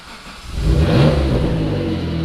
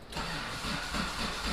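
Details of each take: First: Mitsubishi 3000GT VR4 (twin-turbo 6G72 DOHC, AWD) on a new engine, after cams were swapped around, running stock on a standalone AEM ECU. It cranks and fires with a rev flare, then settles to a smooth, steady idle with no knocking or ticking. Normal start. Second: Mitsubishi 3000GT VR4 twin-turbo 6G72 DOHC, new engine, strong spark confirmed, starter fluid tried: even cranking about four beats a second, never catches; suspected builder installed front cams swapped (exhaust/intake), so valve timing wrong.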